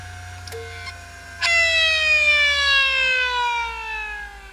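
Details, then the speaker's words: Old hard drive powered off after benchmarking: a clean whine sliding steadily down in pitch as the platters coast to a stop, cat-like; normal, healthy spin-down. "Oh yeah. This one woman I was dating, she'd swear she was hearing a cat across the other end of the house."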